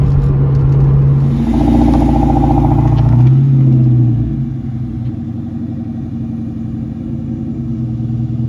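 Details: 2001 Mustang GT Bullitt on test drive after replacing the broken starter: deep, even rumble rising with throttle, then steady cruise with no grinding or whirring, earlier noise gone; normal running.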